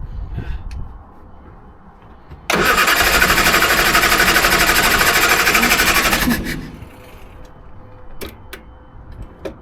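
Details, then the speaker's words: Triumph Herald with Stromberg carburettor, choke on: starter churns steadily about three beats a second for four seconds, no firing. Owner suspects jet needs adjusting, not rich enough; jet found wound all the way in. Cranks, no start. "I think the jet needs to be adjusted. I think it's not running rich enough because I had to put my finger in to get it to work."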